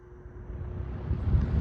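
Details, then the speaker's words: Lakewood 225 Premium Select box fan starting on low speed, bearings oiled and in good condition; low motor hum swells steadily under two seconds, more motor hum than a comparison fan, no scraping or ticking; normal startup. "you don't really get a startup on it, but this fan definitely has a more of a hum than this one. So this one has more motor noise and this one has less motor noise."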